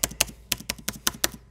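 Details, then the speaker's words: Dell XPS 9570 laptop, microphone below, spacebar after greasing its metal stabilizer bars to fix a right-side squeak; about seven quick clean clicks in just over a second, no squeak or rattle, sounds fine. "push it down sounds pretty good right now sounds like we got it I'm gonna put in the left side the right side it's awesome nice and quiet"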